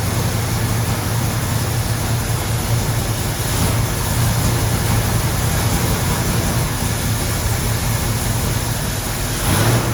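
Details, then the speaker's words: 1974 AMC Javelin: heavy, uneven low rumble at low rpm that smooths only when revved; excess fuel is getting past the carburetor venturis into the intake and can't burn unless rpm is raised. "okay unless we're running at a higher RPM it's not going to be able to burn the excess fuel that's getting into the intake it's getting past it's going around the venturi's that are measuring the fuel"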